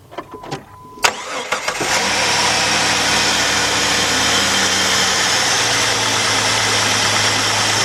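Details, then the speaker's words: 2002 Jeep Grand Cherokee Laredo 4.0 after new spark plugs and coil for a P0302 cylinder 2 misfire, air cleaner refitted: brief crank then a steady, even idle with no miss or stumble; running great. "There you go. Running great."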